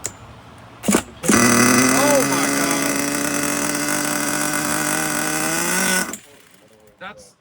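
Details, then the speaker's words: HPI Savage 21 nitro RC truck, restored, carburetor on factory settings: fires almost instantly into a high, steady buzz; an exceptionally quick, healthy start. "So right there, that tells me why so many people like this thing right here, because that was the quickest startup I've ever had in my Nitro RC experience so far."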